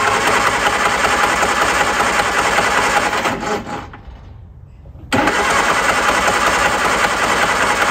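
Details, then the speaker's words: Classic car being jump-started with a small jump pack: long steady cranking, a pause, then more cranking; engine almost fired but never caught, and the pack had to be disconnected before the next attempt; hard start. "all right the engine almost started there and the jump pack detected that and i have to disconnect it before i can try again"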